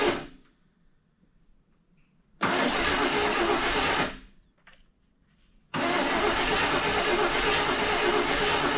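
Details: 1974 International pickup that sat for years, with points cleaned: two bursts of steady starter cranking, about three turns a second, that never catch; starved of fuel, with intermittent spark suspected to need a new distributor and points.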